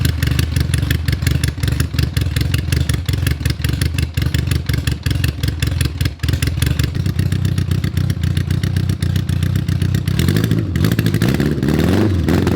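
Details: Honda Goldwing GL1100 flat-four after a starter clutch rebuild (previously clanked badly on cranking): starter engages cleanly with no slipping or grinding, and the engine catches quickly to an even, steady idle.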